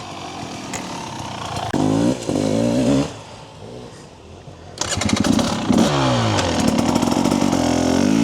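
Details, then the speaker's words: TBI motorcycle before ECU remap with TSP ERM tuner, slow throttle at low rpm: uneven blubbery burbling and stutter clearing as revs rise; rich bottom-end fueling these bikes are known for. Low-rpm stutter. "you can hear that burble there that's what I'm trying to tune out hear that stutter"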